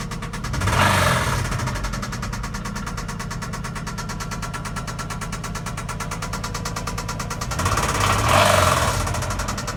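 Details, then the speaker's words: 2003 Infiniti I35 3.5L, 119k miles, startup idle, no codes, timing chain tensioner already replaced without change: steady fast tick three or four per second with two brief surges; owner wonders about precats, knock sensor or coil pack. "2003 I35 startup. Seems like an engine knock. Chain tensioner got replaced, still there."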